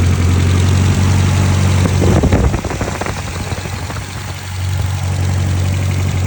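Steady idle with a regular knock of roughly three per second riding over the low rumble; the cause is unclear from sound alone.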